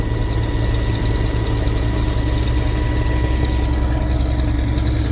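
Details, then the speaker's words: Cold-blooded diesel tractor during late sugar beet harvest, after second breakdown of the day fixed; heavy churning with lumpy uneven knock under low rumble; rough running, owner suspects something in the fuel. "and this cold blooded tractor there's something in the fuel of this thing we need to get I don't know something's messed"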